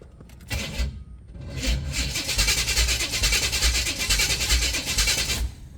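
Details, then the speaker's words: 1971/72 Pontiac LeMans convertible with a swapped-in Chevy 454 and Turbo 400, first start: the starter churns slowly and unevenly and never catches, with no oil pressure shown; the battery is weak, and a jump box is used next. "Battery actually weak. Thought that battery is better than the one I had in it."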